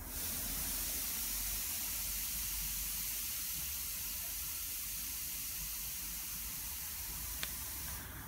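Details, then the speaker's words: Air Products Integra oxygen cylinder with built-in regulator feeding a mixer welding torch with a number 10 tip: a steady, loud hiss of oxygen flow for eight seconds, set by ear because 4 psi is hard to read on a 380 psi gauge; possibly too high. "but for this oxygen i'm really struggling you know let's just open it up again that's what the oxygen sounds like so the acetylene of four sounds less so let's open the oxygen again"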